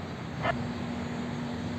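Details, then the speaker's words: Electrolux washing machine that had stopped spinning (only the water pump ran, motor not engaging), after wire splice repair: steady low motor hum, smooth agitation starting with no clicks or strain; normal agitation. "Pronto, pessoal, como a gente pode ver aqui, ó, ela já começa a fazer o processo, ó."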